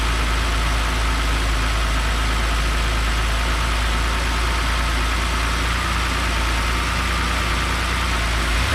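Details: BMW X5 with N52 Valvetronic engine at idle, first start after replacing the Valvetronic motor seal to cure an oil leak; deep, steady, even rumble with no ticks, knocks or misses. Normal idle.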